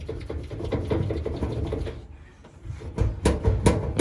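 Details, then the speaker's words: Samsung dryer, drum turned by hand with the unit unplugged: uneven rhythmic thumping, about two or three per second, as the drum turns; the drum felt seal has come off, unbalancing the drum. "I'm spinning it around manually, and I'm already hearing the thump. So, so far, I've already determined, guys, that this quote-unquote seal has come off and causing like a disbalance."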